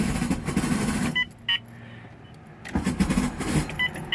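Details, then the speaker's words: Turbo Honda Civic, cranking: harsh metallic rattling grind in bursts, engine never catches; owner suspects starter, rattle also heard while running and disappears when revved; grinding while cranking, no start. "i think something's pretty messed up with the starter hopefully that's just all the noises hopefully all the problems are coming just from that starter"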